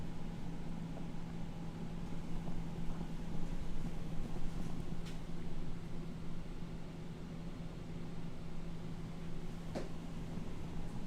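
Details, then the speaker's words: 2021 Jayco Pinnacle 37MDQS RV ducted whisper-quiet rooftop AC with dual ducted return grills, set to low, shotgun mic aimed at the return vents. Steady, even airflow rush and low hum, no rattles; normal fan operation. "This is the ducted with the dual return grills that are ducted, and I've got it set to low."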